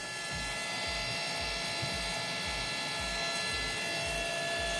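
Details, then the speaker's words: LS turbo car after finishing, freshly fueled: a steady high electric whine with fluid rushing behind it, even and unchanging; the fuel pump is flowing normally, no leaks found. "Okay, you hear it flowing? Yeah, I hear it flowing."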